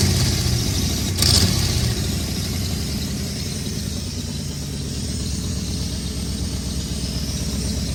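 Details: 1994 Chevrolet Camaro Z28 LT1 V8, a tornado-survivor project, starting: fires and idles with a rough, puffing chuff at each firing pulse; a bad exhaust manifold leak on both sides, with an ill-fitting gasket pinched in after cement failed.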